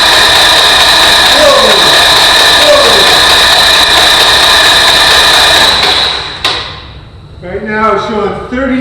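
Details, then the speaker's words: RV-8 aircraft Lycoming IO-360 being pre-oiled on the starter before its first engine start, in 10-second bursts: steady high starter whine and even cranking for about six seconds without firing. Oil pressure builds, and the starter stays cool under light load. "the starter's not hot at all because it's not taking that much of a load"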